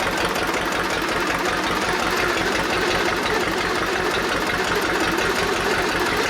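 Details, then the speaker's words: Old Detroit Diesel two-stroke four-cylinder dozer, once water-filled, with a ragged, uneven clatter and no clean firing rhythm. Compression is 150, 90, 0, 0, so two cylinders are dead, before the Bon Ami cleanser honing trick. "uh so it's got two completely dead holes so i guess this will be the bon ami trick"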